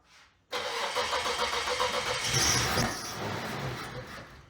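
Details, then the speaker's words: 1995 Isuzu Trooper cranking at a steady churning rhythm for several seconds after a fuel tank pull, with fuel pressure now present; it tries but never catches. Crank, no start. "Go for it. It's trying. Yep."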